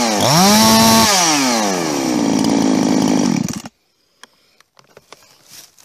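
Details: Husqvarna 350 chainsaw "Fugly" with Huztl top end, back after months on the road and field repairs (gas leak fixed); snaps to clean high rev, holds steady without stumble, shuts off crisply: healthy normal running.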